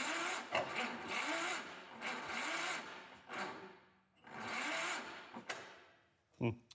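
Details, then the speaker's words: Old 1976 Power King tractor engine after cleaning contacts, checking plug wire and adding gas in plug hole: sluggish dragging slow cranking without catching; starter seems weak, cables suspected, cause unconfirmed. "starter doesn't seem great."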